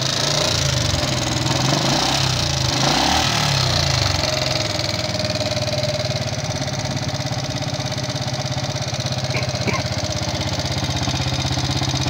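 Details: Yamaha Jupiter MX King fuel-injected engine, before teardown: rough, harsh idle with a steady clattery "kletek" ticking, thin smoke; significant wear of piston, rings, valve seals or guides suspected, not confirmed.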